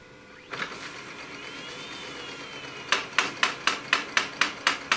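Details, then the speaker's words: Brother DCP-7030R/7032 laser MFP reassembled, cartridge installed, side panels off, first power-on: sharp even clacking about four times a second during start-up cycle; unexplained knocking, printer then prints. "Угу что-то стучит что что это такое"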